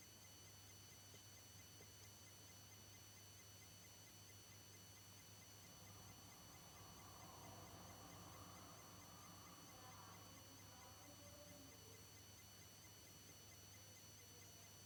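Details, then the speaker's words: PS4 switched off but plugged in, phone behind the console: very quiet, steady electrical buzz with low hum and thin high tones; it stops when unplugged. Cause unknown. "And that was the slight buzzing noise. Seems like there's still power flowing through it."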